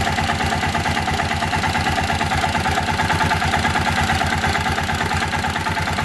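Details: Kawasaki Bayou 400 ATV after the oil pump drive gear repair, idling while oil flow at the head feed-line banjo bolt is checked. Steady single-cylinder thump with light top-end clatter, no knocking or surging; oil reaching the head, healthy idle.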